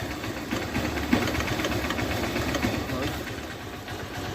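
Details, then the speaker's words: 2008 Hero Honda Hunk, about 16 years old, at cold idle: fast, uneven tak-tak ticking rattle from the engine. "इसके engine में से एक अलग सा नॉज आ रहा है यह देखो"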